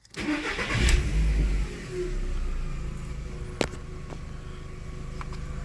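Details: VW, after fixing fault code 17950 and connections, no codes present: engine cranks, catches quickly, revs up cleanly and settles into a smooth, even idle without misses or knocks.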